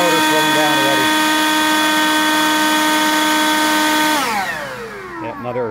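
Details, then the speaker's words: Harbor Freight Lynxx 40V cordless brushless blower (63284), battery showing one bar after about 9 minutes at highest speed, battery slightly warm: steady high motor whine for about four seconds then winding down; battery flat. "let me see if it'll kick on if I put it back in you can hear the motor"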